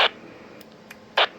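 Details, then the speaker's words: Icom IC-756PRO on 2 m at 100 W with dual-band antenna: two sharp hissy bursts about a second apart over quiet background on unkey; squelch-tail kerchunk, owner suspects a radio setting. "so it's something in the settings in that radio that do that interesting I I really I don't care for that noise at all"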